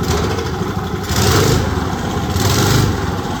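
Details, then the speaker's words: Old Briggs & Stratton go-kart engine that sat outside 8+ years, earlier stuck valve, carb mixture screw set 1.25 turns out: rough, lumpy idle surging about once a second, reluctant to come off idle. "Not want to come off idle."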